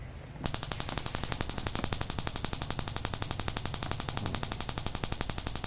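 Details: Daihatsu Mira with stumbling idle, worse with A/C on; the owner had already fitted a likely counterfeit online-bought ignition coil. On a battery-powered coil spark test, a crisp, even train of sharp snaps, about four per second, with no misses: the coil sparks properly.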